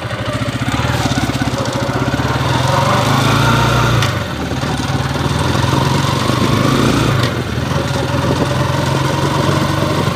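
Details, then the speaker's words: Yamaha TMX155 engine after overhaul, test ride: droning whine in third gear, quiet in first and second. Pilot bearing or countershaft bearing is suspected; oil smoke is also seen. "tersera meron siyang maugong marahil kwan to pilot bearing counter shop yung tama ha"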